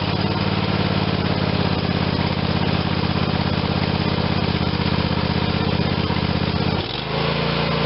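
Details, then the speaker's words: Craftsman YS4500 tractor, Briggs & Stratton 22hp OHV Intek twin, final check after carb cleaning with gasket sealer and carb cleaner, covers refitted: steady even note holding speed, dropping slightly at end; running smooth like new. "That's how we got the Craftsman, which is a Briggs and Stratton 22 horse overhead valve engine intake twin cylinder, running like a new machine."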